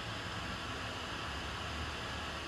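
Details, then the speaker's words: MacBook fan, previously jammed and ticking, runs with a soft even airy hiss and no ticking or scraping after a hard fist hit above the numpad and F7; fan works normally again. "You just hit it really hard. Yeah. And as you can see, the fan suddenly works"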